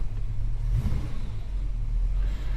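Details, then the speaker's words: Holden HK V8 idling after repairs for prior overheating: deep, even idle with a smooth low rumble and no ticking or puffing; no water leak, exhaust manifold leak or power steering pump rattle. "Oh, no water leak. No exhaust manifold leak. No power steering pump rattle. Oh, she sounds good."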